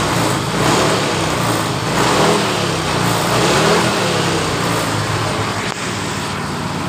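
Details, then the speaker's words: Yamaha Mio Fino scooter, normal when cold but stutters when hot after long riding. Restarted after three key-on fuel-pump primes: revs rise and fall cleanly with no stutter, throttle response normal, though idle still sits too high. "Motor ini langsung normal. tapi langsamnya masih naik."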